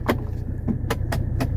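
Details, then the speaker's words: 1984 Mercedes 300SD (W126 turbodiesel) after central-locking vacuum leak repair; door locks fire together in quick sharp clacks over the low hum of the trunk vacuum pump; locks snap promptly, central locking normal. "super fast vacuum pump is working great"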